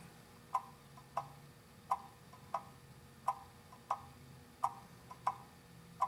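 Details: Antique pendulum clock after cleaning, oiling and crutch bending to set the beat: crisp ticks about every 0.7 seconds, evenly spaced with matching tick and tock; the clock now runs in beat.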